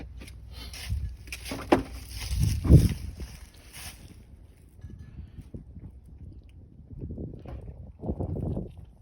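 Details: 2012 Audi A5 2.0 TFSI quattro turbo with Snow water-meth kit: faulty solenoid fails to shut off, water-meth sucked into intake constantly, causing rough, uneven misfiring idle with surges and thumps, backfires, poor acceleration, MIL.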